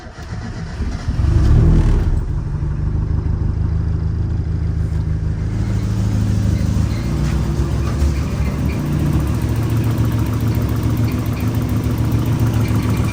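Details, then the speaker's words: Turbo 1.6 Miata after rebuilding the downpipe from 2.5" to full 3" V-band exhaust: engine cranks, catches and settles into a low, steady, even idle with a deep, mellow, very quiet exhaust note; nothing untoward. "Quiet, super quiet."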